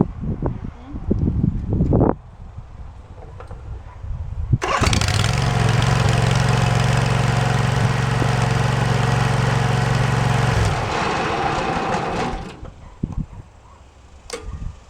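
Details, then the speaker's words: Swisher ZT2250 zero-turn mower running steadily: on PTO engagement the deck starts to spin with light clicking at the blade clutch, which worked once then not; intermittent PTO engagement, cause still under investigation. "well you guys can see it's engaging the pto because the deck starts to spin you can hear it clicking in there well yeah that's been the problem most of the time"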